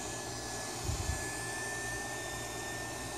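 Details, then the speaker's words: Larger, more powerful Intigy fan for the HPI Savage XS Flux, hand-held on power: strong, steady, high-pitched whir with no rattle, much stronger than the barely-working stock fan. It nearly lifts off the hand; the fan runs normally. "You can hear the difference. I mean, this fan will almost lift itself off my hand."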